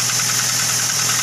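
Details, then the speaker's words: Toyota Avanza engine idling with a rough, dry metallic rattle from the front of the engine near the timing cover; worn timing chain needs replacement. "yo yah ene Avanza suaranya kasar harus ganti timing chain ya"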